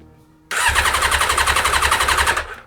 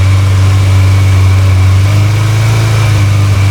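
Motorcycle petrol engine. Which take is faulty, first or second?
first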